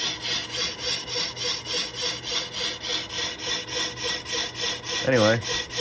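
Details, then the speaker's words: Lathe resurfacing an old Willys Jeep clutch pressure plate, with an anti-chatter band, faster power feed and a vise strip: harsh scraping pulsing about three and a half times a second per turn; still chattered quite a bit. "anyway tough to tell if that's chatter or if that's just sound from it cleaning up the existing chatter find out in just a second here yeah still chattered quite a bit"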